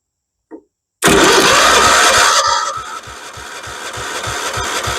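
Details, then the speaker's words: 1976 Vermeer LS200 log splitter, Kohler K301 12hp cast-iron single, with starting fluid but no choke: starter cranks steadily about two turns a second, never catches, not even a pop; ignition suspected, checking ignition power next. "oh and I didn't even have it on choke which probably isn't good not even a pop okay I guess we start by checking for ignition power then"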